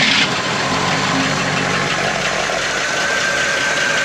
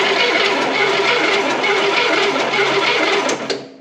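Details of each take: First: 1971 Cadillac Eldorado 500 cubic inch (8.2L) V8 barn find, running: even, steady rumble with no misses, knocks or ticks, idling well, but no oil seen coming from the pushrods. Normal idle. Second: 1971 Cadillac Eldorado 8.2 L 500 cu in V8 barn find, rat-damaged coil wiring: starter cranks in an even rhythmic churn but no cylinder catches; spark test shows zero spark; crank no start.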